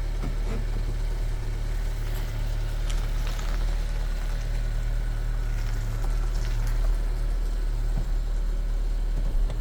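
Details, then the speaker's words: Subaru Outback Wilderness on LP Aventure 17x7.5 20 mm offset wheels with Mickey Thompson Baja Boss AT 245/65/17 tires, mud flaps removed, full lock in reverse: steady idle with no rubbing, confirming the earlier rubbing noise came from the mud flaps. "All right, so I think it's safe to say all that rubbing noise, that noise that I was hearing, it was from the mud flaps."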